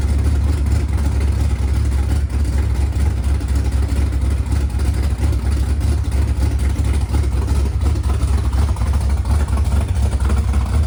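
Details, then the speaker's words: Freshly installed 410 LT1 (4" Callies Magnum crank, M&M-ported AFR 210 heads, mild hydraulic cam) in Pontiac Formula, no exhaust yet: deep, loud, steady V8 idle with even lope, no misses or knocks, running on all eight; normal idle. "But it sounds like it's running on all 8, and I just needs an exhaust system."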